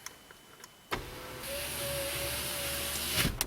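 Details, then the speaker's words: 2008 GMC 2500HD, 6.0L, power window motor powered directly via the tan wire: steady whine with faint rising tone for about two seconds as window goes down; motor fine. "Fantastic. And then, like I say, if we go right back into the tan wire, give that some power. Down she goes."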